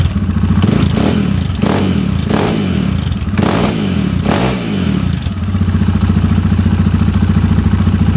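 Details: KTM 690 SMR single with newly fitted Akrapovic exhausts; it ran rough before with the latest KTM map. Fires crisply through several throttle blips, then settles to a steady, even idle thump. Healthy.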